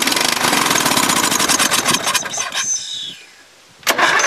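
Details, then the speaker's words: Dynamark lawn mower sat since last fall, started on carb cleaner: catches and runs rough at full rattle under three seconds, dies, fires briefly again; owner suspects water in or gummed-up carburetor starving fuel. "I'll give her a goal and give me some it was popping what happened [Music] don't wanna run no more"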